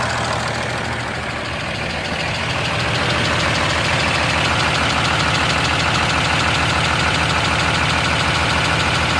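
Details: 2013 Ram 2500 6.7 Cummins, 39,000 miles, G-56 manual: sharp steady tick about three per second over clattery diesel idle, present at idle, revving and under load; exhaust lash around .032", fixed by resetting to .010" intake/.026" exhaust.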